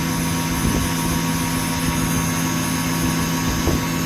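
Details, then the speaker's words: PM25 CNC mill spindle with new oil-mist-lubricated bearings at 5000 rpm, 4.6 A: steady even hum, one constant tone, faint cage rattle from the bearing; spindle runs smooth. "fairly smooth i know this is vibrating something i need to get that uh as funny as this is actually pretty smooth this isn't because this thing is out of balance"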